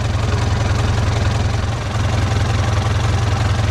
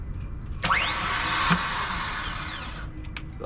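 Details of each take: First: Boat engine after starter motor failed to engage and earlier smoke (alternator possibly toasted): engine fires and settles into a steady low idle with even rhythm and no knocks; runs healthy. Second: Sailboat engine after a smoky incident, alternator possibly toasted: starter gives one click then a high whine spinning up and dying over two seconds with no cranking; starter motor not engaging.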